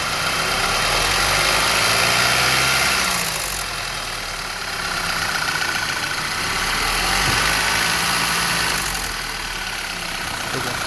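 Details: Car engine ticking or clicking as rpm lowers toward idle: a fast, even tick, about three or four a second, continuing as revs settle; cause unknown.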